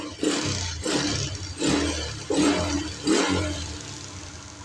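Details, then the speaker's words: Yamaha New Jupiter MX after fitting a Suzuki Shogun Kebo CDI: four quick throttle blips rising crisply and dropping cleanly to a slightly higher idle; engine feels light and responsive, running freely. "lebih baik dan terasa sangat ringan saat digas. Putaran mesin saat idle juga lebih tinggi, yang menunjukkan bahwa"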